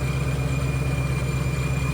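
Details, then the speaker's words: Refreshed ESS G3R supercharger, sent in over a questioned noise, on cold start at about 750–800 rpm: smooth idle with steady blower whistle and howl, slight straight-cut gear rumble, no rotational clank; sounds normal. "Blower sounds like as it should. Whistles, howls as it should. Straight cook gear, so it does sound a little rocky, but we're not getting that rotational clank."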